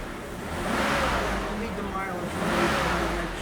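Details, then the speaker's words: 1991 BMW E31 850i V12 with a 6-speed manual, running for the first time after 7 years off the road. It revs and settles smoothly with no misfire or smoke; the clicking is the fuel injectors, and there is some normal condensation. "listen to the engine how good it works how smooth it works first time running in so many years and it runs so"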